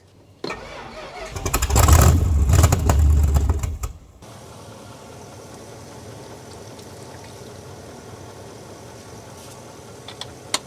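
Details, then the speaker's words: Dodge Adventurer 4x4 that sat about 10 years, fed by squirting fuel down the carburetor throat: engine catches and roars for about three seconds on primed fuel, then dies; cranks but won't keep running from fuel starvation. "It wants to go, it just needs the juice to do so. We're just dealing with a lack of fuel problem here, that's all."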